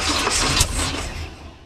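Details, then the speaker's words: Abandoned 1971 Chevy K-20 after 15 years sitting, exhaust now fitted, needing gasoline; ignition timing suspected too far advanced: cranks, a few rough firing bursts, then dies away; hard start, cause unconfirmed. "all right uh let me back the timing off a little bit no I you need to back it off a little bit I think it's I think it's pretty far advanced"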